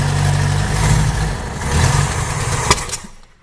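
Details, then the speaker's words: Junkyard 1980 Honda Accord with a newly fitted Weber 32/36 electric-choke carburetor (Redline K724 kit), cold start after sitting overnight: catches quickly, then a rough idle with a slight occasional miss, a bit better than yesterday. "Oh wow, it started really good. Sounds like it misses a little bit. It's a little better than yesterday though."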